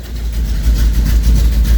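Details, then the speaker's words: Cold 1973 Plymouth Duster 440 V8 (bored .030 over, MSD 6A ignition, fuel pressure set at 6) idling just after a first-try start following a week sitting, good oil pressure: a deep, lumpy, steady rumble with no knocks or ticks; normal cold idle. "you go good oil pressure the fuel pressure i have it set at six right now it's cold that's where the idol's at"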